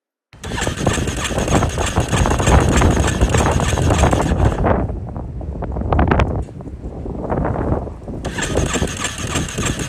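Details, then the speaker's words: Yamaha Warrior quad, Chinese aftermarket carb, on jump pack: long steady starter churning with uneven chug that never catches; previously needed about 15 minutes of cranking to start; hard starting, valves possibly tight. "However, it started so hard that you could crank this thing over for, I don't know, 15 minutes straight, and then it would finally start."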